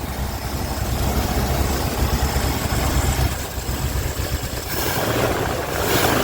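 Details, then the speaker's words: 1980 ramp truck V8, first run after roughly 25 years, on an electric fuel pump: deep, steady idle with even rumble, no knocking, ticking or clicking; normal idle. "I mean, it sounds really good. Didn't hear like any knocking or ticking or clicking or nothing."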